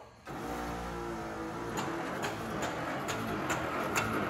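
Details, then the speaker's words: 1964 to 66 Ford Thunderbird convertible top operated by a remote switch: motor hum fades into a steady run of sharp relay clicks about two a second, meaning the top cycle is done; normal. "hear the clicking? That means it's done."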